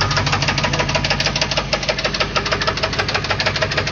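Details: 350 TPI engine at idle with a heavy, even, sharp knock about twice a second, loudest on one side; deep internal knock suspected, cause unconfirmed.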